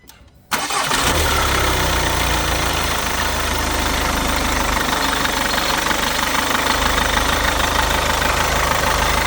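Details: VW Golf after a new alternator one-way clutch pulley and a new belt tensioner were fitted: clean start and steady idle with no chirp, slap or flutter. The tensioner bounce caused by the slipping old clutch pulley is gone.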